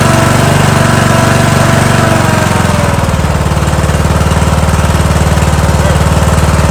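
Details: Kohler Courage 19HP on a Husqvarna lawn tractor that hunted and surged at idle, after carburetor service and reassembly: a loud single-cylinder-style beat settles from a busier pace to an even putter of about two pulses per second; a normal idle.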